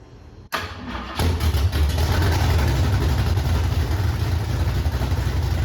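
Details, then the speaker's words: 1968 Ford Mustang engine cranks, catches and settles into a loud, deep, steady rumble with no clanking or knocking; healthy idle. "it's so loud. No, there was no clanking. No, sounds good."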